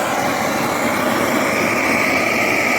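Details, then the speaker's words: BRS-8 multifuel stove running on gas outdoors, after a makeshift tin part replaced the missing piece: loud, steady, even roar with no sputter or pulsing; stable in wind gusts and burning cleanly. "I've got to say, it does appear to be very stable even when the gusts of wind get up. It's not quiet, mind, as you can hear, it's quite a noisy little thing."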